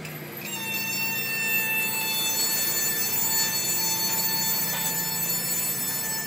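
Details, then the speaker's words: Honda Jazz GK5 (T5A): sustained high-pitched squeal holding several seconds when braking and pulling away; owner suspects worn, thin front brake pads needing replacement. "Okay guys, jadi kau dah tengok eh, ada bunyi bila break sambil go start. Jadi bunyi tu saya suspect brake pad dah haus, dah nipis, dah perlu tukar."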